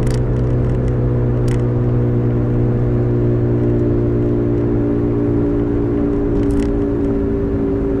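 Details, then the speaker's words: 2005 Toyota Matrix AWD, steady low droning howl like an airplane at road speed, even pitch over tyre noise, from a rear corner; camera belted in the back seat; owner suspects a worn rear wheel bearing and bought a replacement, unconfirmed. "well i bought a bearing for it because i thought it was a wheel bearing i guess you can hear it and the plane was howling like an airplane in the back"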